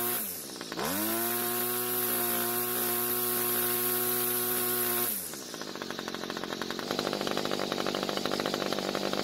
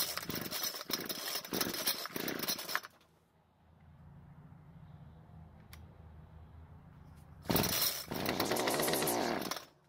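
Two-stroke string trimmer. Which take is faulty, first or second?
second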